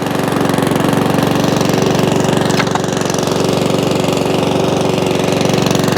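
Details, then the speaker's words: Non-running Mountfield 414/416 lawnmower saved from the tip, first run after getting it going: even, fast single-cylinder beat holding one speed with no rising and falling; steady idle without hunting. "you hear it not hunting that's good"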